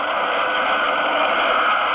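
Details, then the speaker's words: Late-1970s Gemtronics GTX-5000 40-channel tube CB radio receiving a steady raspy bee-like hiss-and-buzz of many weak distant stations, no single voice, a sign of good propagation. "this is not just the big boys this is the four what stations that you're hearing right now so listen for the bees and then you know that propagation is good"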